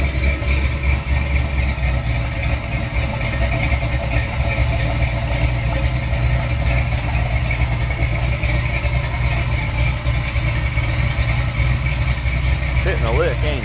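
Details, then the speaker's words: Chevy 350 V8 with big cam, just reassembled, idling and shifting reverse/drive: deep idle with slightly choppy uneven lope, low vacuum, holds speed without stumbling; normal. "don't make too much vacuum with that cam you might be able to hear real quick Jing been draining but it does have a big camp well"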